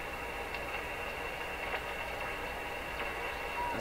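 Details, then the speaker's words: Rogers 11RA651 shortwave radio after replacing paper/wax capacitors, tuned with no antenna at high volume: a steady heterodyne whistle over hiss with faint crackles. The noise persists and the replaced capacitor didn't help; the cause is not yet found. "So it still has a heterodyne, and there's a station right there."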